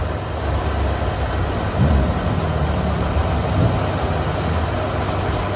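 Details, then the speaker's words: 1988 Ford Econoline E150 4.9L after squeaky serpentine belt replacement, no belt dressing: low, steady rumble with no squeak or chirp from the belt drive, quiet as ever; normal idle. "wow she's as quiet as ever let's hope she stays like that"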